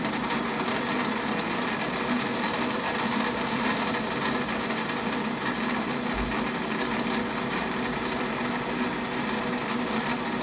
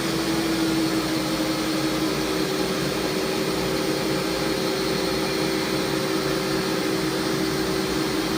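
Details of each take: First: Lathe running about 650 RPM: fine busy metallic rattle from the loose slave/idler change gears on the banjo. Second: Warco WM250V three-phase variable-speed lathe at about 700 rpm, end cover refitted: steady even hum, constant light tone, no knocks or gear chatter; runs smoothly, normal running.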